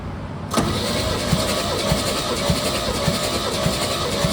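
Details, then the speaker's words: 1969 Chevy C30 after head gasket replacement, cranking compression test on cylinder 2: even, regular pulses with no hiss, reading 120, matching spec; it had read zero before. "Look at that. 120 is what uh the book says it should have."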